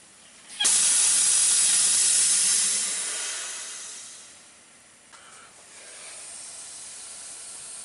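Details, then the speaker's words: Freedom Hauler / Idaho Tote trailer, owner-added air lines, system charged: sharp steady air hiss tapering over a few seconds then a faint lingering hiss, air leaking at a line joint/fitting, weaker than the day before. "and i can hear it but it's it's a weak sound but it's there's something in there"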